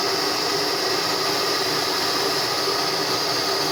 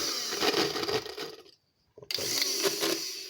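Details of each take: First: Hair dryer (model 6000 Turbo) after cleaning out a hair clump under the fan that had loosened it and caused strange noise, running after reassembly: smooth, constant airy hiss with faint motor whine, no rattles or scraping; normal. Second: Hair dryer (Fórmula 6000 Turbo) with rough uneven rattling whir, cutting out briefly then restarting; fan found loose from a ball of hair and dirt under it, fixed by cleaning and reassembly.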